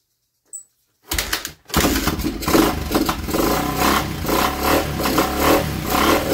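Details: Honda XR 250 single-cylinder motorcycle stored 10 years, on old fuel, carburetor not yet cleaned: catches after a brief crank, then runs with uneven, surging revs and a ragged beat; stale fuel suspected, not confirmed.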